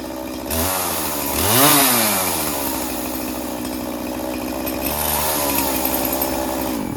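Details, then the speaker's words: Poulan Pro 50cc 20-inch chainsaw refueled with 40:1 premix: fires straight away, blips to a clean high scream, settles to a steady strong run; strong machine, chain still loose. "All right. Well, that worked out pretty well. Pretty strong machine."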